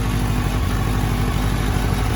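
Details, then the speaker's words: 2003 Kawasaki Z1000, fuel-injected, 3,000 km, cold start on choke at 25-30°C ambient: idle stumbles with a lumpy, uneven beat and missing pulses, cylinder #3 dead for the first 30 seconds to a minute until the engine warms and smooths out. "there she is running and it is it is a little lumpy i'm just using the choke here you can kind of hear it stuttering and stumbling"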